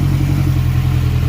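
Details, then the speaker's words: Acura RSX after fixing a stalling problem traced to one faulty wire and recalibrating the TPS, MAP sensor still unplugged: steady, even, deep idle, no misses or knocks; running good. "Alright, as you can hear, it's running, it's fired up, running good."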